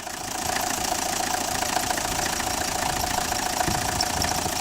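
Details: Renault Express diesel after head gasket and timing replacement, warmed up: steady, even diesel clatter at idle, no misses or hunting, only a small diesel hose leak noted; engine idling normally.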